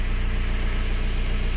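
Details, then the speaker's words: BMW 118d/120d N47 2.0 diesel, after fixing a bad knocking noise and red oil pressure light: even, steady diesel idle with a smooth low pulse and no knock or tick; normal idle, fuel nearly empty. "holy smokes do you hear that engine sounds amazing no air or whatsoever it's done"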